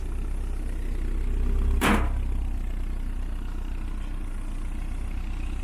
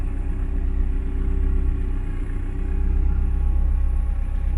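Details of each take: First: 1972 VW Beetle with rebuilt 1997 Subaru EJ25 DOHC flat-four, back up and running; deep even low rumble with steady beat, no knocks or ticking, settling into a smooth healthy idle. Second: 1972 VW Beetle with rebuilt 1997 Subaru EJ25 DOHC flat-four, warm idle sitting low with a deep steady lazy rumble; owner suspects a vacuum leak, not yet confirmed.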